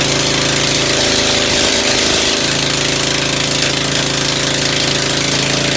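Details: Ford engine just reassembled after tune-up, muffler removed, first carburetor tuning with only the high-speed needle set: uneven lumpy low-speed running, irregular pops over open exhaust roar; owner suspects low-speed mixture too lean.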